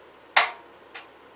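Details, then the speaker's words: Husqvarna FT 900 tiller turned slowly by hand gives two sharp, dry clicks about half a second apart, caused by a bad ball bearing. "that is for sure that that baron yeah yeah that's that that's that's what to do not clicking right there that's what's doing it that ball bearing"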